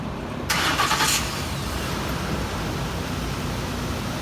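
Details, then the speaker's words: 2008 Ford Expedition 5.4 V8 after two loose spark plugs were tightened and plugs and coil packs replaced, which cured a popping from compression leaking past the plug threads: it cranks briefly, catches and settles into a smooth, even idle. Normal idle. "This engine sounds a lot smoother now, and we're going to go ahead and call this one home, guys."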